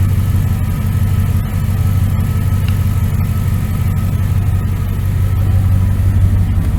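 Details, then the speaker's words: 1999 Dodge Ram 1500 5.9L gas V8 with headers, after new starter, belt tensioner and idler pulley: deep steady idle, even low rumble, no knocks, ticks or squeals; motor sounds good, normal idle. "Motor sounds good. She's a little old, but get it in order so it'll serve you."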